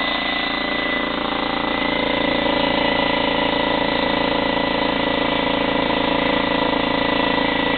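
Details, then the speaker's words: Slightly used DeWalt 15-gallon vertical air compressor, in good condition: steady pump chatter about four beats a second over an even motor hum, no knocks or squeals. It runs normally. The regulated side works, but the tank pressure gauge is stuck. "It's in pretty good condition. It does operate very nicely. We're going to turn it on for you."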